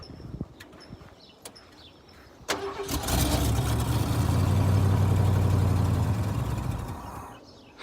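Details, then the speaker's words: Ford F-150 V8 revived after sitting about ten years, on starting spray: starter cranks, engine catches and runs roughly about four seconds before dying; only runs on spray, fuel starvation; building oil pressure. "sounds good oh well it did sound good so it's um the best it has we've had some fire out of it I think we're pretty close"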